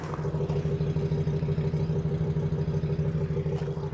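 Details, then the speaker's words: 2006 Ford E450 6.8L V10 on Blue Devil head gasket sealer, cylinder 7 misfiring until a noise, then an even, steady idle; owner suspects the sealer finally plugged cylinder 7, and that a fouled plug had kept the heat-activated sealer from working. "all right you guys I heard a little noise and then it begin to run smoother so I wonder if it uh finally plugged up that cylinder number"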